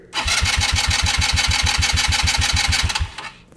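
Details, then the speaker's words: Genuine Buddy 150 scooter starter spinning the engine at a steady chug of about three compressions a second without catching; normal, healthy starter cranking. "cranking is when the engine is turned over by the starter motor and when your scooter is cranking it makes this sound here"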